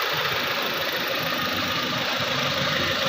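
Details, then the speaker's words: Suzuki Cultus EFI after tappet cover gasket and spark plugs replaced, water leak fixed and coolant refilled: steady, even idle with a light hiss, no knocks or misses, a normal idle. "सारा sound pick her चीज़ माशाल्लाह ओके है इसका।"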